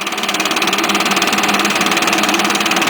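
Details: Cold start, without priming, of a Stihl BR550 backpack blower with a 65cc 4-mix engine, bought last year. Crisp, buzzy engine settles into a steady even beat about four a second, with no misses or hunting: normal idle.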